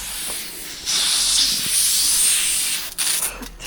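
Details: Pump-fed greenhouse drip irrigation from a rainwater tank: once pressure builds, a loud steady high hiss holds for seconds and then sputters; water is escaping somewhere in the pressurized line, and the owner fears it may burst.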